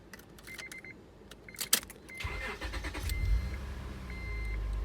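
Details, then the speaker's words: 2004 Acura TL after ignition switch replacement, car has been sitting with low fuel: key jingle, brief crank, engine catches at once and settles into steady even idle with no buzzing; starts fine on second try. "so as you can see in that last clip it starts up fine second time i think i want to go start it kind of like stalled out the car has been sitting um and there's load fuel in it too so that doesn't help"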